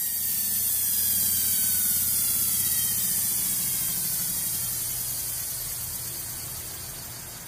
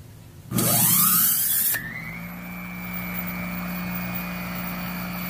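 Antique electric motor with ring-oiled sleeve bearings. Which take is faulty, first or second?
first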